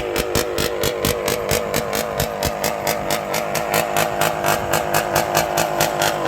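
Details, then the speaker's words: 1972 Suzuki TM250J two-stroke after repairs for hard starting and not staying running: sharp, crisp bark pulsing about four times a second, clean and even with no misfire, described as sounding nasty with big-time ping; running healthy on a chilly, windy ride. "And you hear it, it sounds nasty, man. Big time ping, ping, ping."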